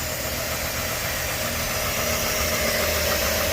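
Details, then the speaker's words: 2013 GMC Sierra V8 at idle after new power steering lines (both leaking) fitted, on Pennzoil Ultra Platinum oil: steady, even idle holding one constant note with no misses, knocks or stumbles; running healthy and quieter. "nnzoil Ultra Platinum in this thing? So much quieter."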